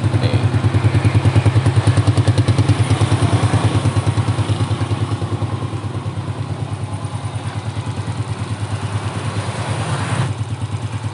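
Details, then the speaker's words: Motorcycle engine after rebuild, installed in frame, modified head, valve clearance set, carburetor cleaned and tuned; even, steady idle thump about three beats a second, no ticking or knocking, smooth and healthy: normal idle. "Tinggal langsung kita hidupkan. Nih guys, bisa kalian dengar sendiri ya, suara mesinnya halus."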